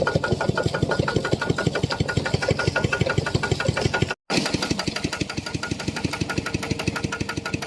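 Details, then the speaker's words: Piston pump whose crankshaft set knocked loudly from lack of lubricating oil, now refilled with about 1 litre to half level: even, steady thumping near three strokes a second with no harsh knock; normal running, properly lubricated. "โอเคครับมันมีเสียงดังเพราะว่าไม่มีน้ำมันนะครับผมใช้ได้แล้วครับผมเมื่อเช้านี่มันดังแรงมากเลยเพราะว่ามันไม่มีน้ำมันหล่อลื่นนะเนี่ยสบายแล้ว"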